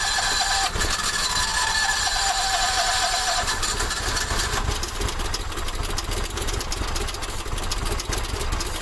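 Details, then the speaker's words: Howard Price Maverick 620 utility vehicle (Cub Cadet-built) in neutral with parking brake on, electric fuel pump just primed: hard starting, the engine fires a couple of times and sputters unevenly with no steady idle; carburetor gummed up, to be removed and cleaned. "i heard it hit a couple times there where's my car cleaner that carburetor definitely gummed up"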